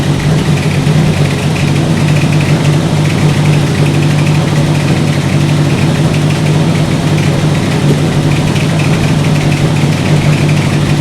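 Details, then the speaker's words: 1964 Buick Electra 225 401 Nailhead V8 running after a rebuilt Carter AFB 4-barrel was reinstalled: steady low idle beat broken by occasional stumbles. The misfire appears after running a while; the owner suspects worn points and condenser despite having spark. "I think what I'm going to do now, the way that's behaving is I get going for a while and I get a misfire."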